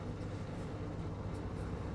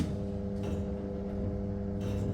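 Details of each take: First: LG 7 kg turbo drum top-loading washing machine after drain motor replacement, which fixed the drum not spinning and loud motor-side noise: steady even low hum, no knocks, scraping or surging; normal spin cycle. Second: LG top-loading washing machine on spin cycle: the drum won't spin while the pulsator turns, with a constant loud buzzing hum and one clunk from the failing drain motor; replacing the drain motor fixed it.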